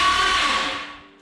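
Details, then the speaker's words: Boosted 3.0L boat engine in a Chevrolet S10 with a 6-speed manual, first starter test: a brief loud, harsh high whirr and grind. "that's not a whole nice noise why is that starter so loud"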